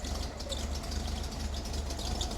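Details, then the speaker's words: 1974 Volkswagen air-cooled camper van after service with a new rocker gasket, timing mark checked and found correct: even low chuffing beat with light valvetrain patter, no misses or knocks; clean normal idle, timing needs no adjustment. "And that means we don't need to adjust the timing cuz it's just fine and it runs well."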